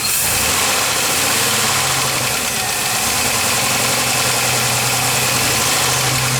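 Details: 4.3 V6 at idle, oil changed to 10w30 with Lucas oil treatment under a week ago, air intake off: steady rapid knock, three to four taps a second, faster with rpm. Eases after about 20 minutes but returns on restart. Lifter or rod bearing suspected, unconfirmed.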